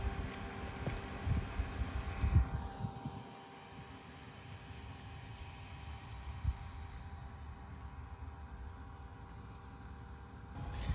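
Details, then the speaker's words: Replacement 48 V VEVOR three-phase solar pool pump, plumbed with water, on a partly cloudy day below full power: a low, steady, even hum with no knocking or grinding, much quieter than the failed original; running normally. "so much quieter and this is on a uh partly cloudy day too so it's not even going to run at full power but it's pumping"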